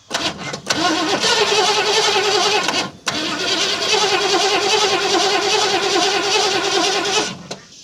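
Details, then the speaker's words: 1968 Ford Mustang that sat in a barn for 30 years, coil hot-wired: the V8 cranks in two long bursts, starter whirring about three turns a second, with no firing; cranks but won't start, though it starts right up soon after. "Nothing yet. Let's give it some more of this."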